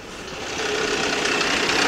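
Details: 2004 Nissan Quest 3.5 V6 at idle after bank 1 camshaft position sensor replacement (code P0340), codes cleared, check-engine light out; fast, even tapping knock that grows louder, customer-reported noise. Engine knocking, source not yet found.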